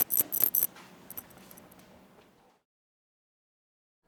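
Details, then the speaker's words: Schoeps CMIT microphone shaken by hand: sharp metallic clicks and clinks, an internal rattle from worn foam spacers letting internal clips knock. "this is an example of a strange rattle when shaking the"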